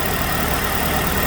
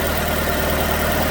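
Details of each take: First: 2006 Chevrolet Malibu 2.2 Ecotec four-cylinder with a used ignition control module temporarily fitted in place of the failed one: even, steady idle with smooth low rumble, no misses, running on all four cylinders. Normal idle. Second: 2006 Chevrolet Malibu 2.2 Ecotec four-cylinder, flashing MIL, P0300, plugs already changed: lumpy idle loping about twice a second with cylinders 1 and 4 dead; no spark at the waste-spark coil pair, traced to a failed ignition control module.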